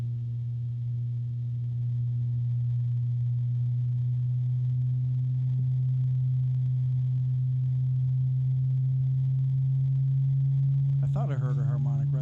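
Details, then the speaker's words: Azza CUBE 360 (LCAZ-360P-CUBE) ARGB AIO radiator fan: a steady low hum with a faint tonal ring on top, a mild harmonic resonance; not loud, probably unnoticeable inside a case most of the time. "So it's not actually a loud fan. In fact, inside the case, you're probably not going to notice it the vast majority of the time."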